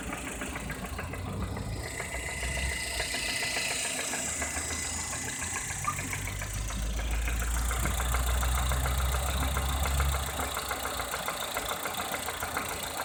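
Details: Lada Kalina Cross engine, warm idle; quick, regular tapping about three per second over the idle; engine knock, cause not yet determined.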